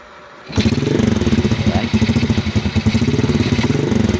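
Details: Motorcycle after the spark plug was refitted, cranked again: silence, then it catches and settles into a lumpy, slightly uneven idle; carburetor bike with hard starting, cause not yet found, gas filter checked next.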